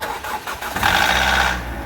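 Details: Petrol car at the first cold start in the morning after long parking, with the hood open and phone held near the engine, cranks and catches, then runs with a loud, rough clatter at the front of the engine. On a restart the noise is much quieter.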